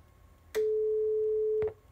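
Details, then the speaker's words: Line 6 LD150 bass amplifier with a test tone fed to the rear input jack: steady mid-pitched tone for about a second, then abrupt silence while the lights stay on. Output cuts out. "so we did have a tone I'm sure you could hear that I was on for maybe two seconds and then it shut off we have lights so there's still power"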